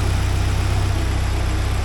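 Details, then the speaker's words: 1979 Porsche 924 during restoration, timing set close to right: low, even warm idle pulsing steadily with no ticks or misses; healthy. "that sounds really good that sounds great not making a be so that's good must have it timed pretty close to right"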